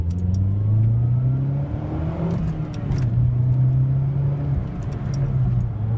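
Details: Mazdaspeed3 after sitting two weeks, about 2 miles into a drive: at a steady pedal the engine shakes badly, with rpm rising and sagging repeatedly around the stated "3 rpms" and rough uneven pulses. Owner suspects misfire or a fuel pump problem, unconfirmed.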